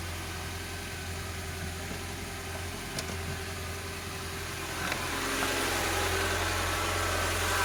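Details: VAZ 2107 (21074) fuel-injected, about 36–37 thousand km, during a valve clearance check: a steady, even idle with a low hum and about four soft beats a second; no clear valve ticking stands out.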